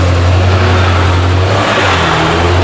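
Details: 2014 BMW X1 35i, N55 turbo six with 6-speed, on the E9X platform, suspected transmission issue, just started: deep, smooth, steady note under a throttle blip, no knocks or rattles; sounds healthy.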